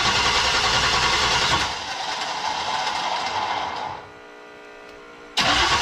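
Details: Diesel-swapped Corvette after resetting pump timing to factory (the fuel screw had been maxed), started with ether. It catches quickly into a steady, even diesel clatter at idle; it started easily with much less smoke, and some injector lines were left loose.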